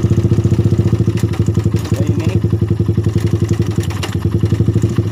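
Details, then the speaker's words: Suzuki Satria FU single-cylinder motorcycle at idle: rough clattery tick on each roughly four-per-second thump around the cylinder head, coming and going; a failed cam chain tensioner letting the cam chain go slack is suspected. "Oh ya mungkin otomatis kenakan rantai ketengnya ini atau tonjokan rantai ketengnya rusak jadi rantai keteng Hai menjadi kendor dan kadang-kadang bunyi kadang-kadang tidak"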